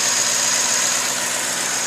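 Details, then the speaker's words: 2006 Ford F150 idling after new belt, tensioner and pulleys fixed a whine: even, quiet idle with a soft hiss and no belt or pulley whine; accessory drive healthy. "I'll show you now started up let you listen to how much quieter it is ended up being change that whole pull in pulley I changed a whole tensioner"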